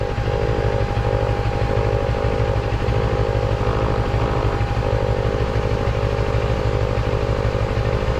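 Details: Motorcycle running: steady mid-pitched buzz from the TFT dash cowl bracket vibrating with screws tightened; cured by backing off screws and adding elastic band; dashboard cowl vibration buzz.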